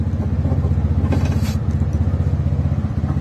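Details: 2018 TVS Ntorq 125cc scooter starting again after its 3-year-old battery was replaced: even, steady putter of about four beats a second with no knocks or misses, idling smoothly and healthy.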